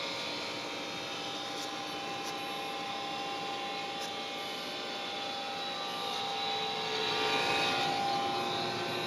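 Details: Trane XR80 gas furnace about 15 years old, still working but running with a steady, fairly loud metallic whirring, buzzing hum at a fixed tone; owner wonders if blower motor or capacitor, cause unconfirmed.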